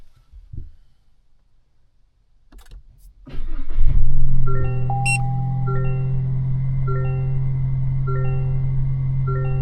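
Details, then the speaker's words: 2025 Toyota Tacoma SR factory dashcam after the full micro SD card was replaced with a 32GB card: the truck starts, then one short beep and silence. Normal startup, no longer the full-memory beeping. "There we go. So, it's working. It only beeped once."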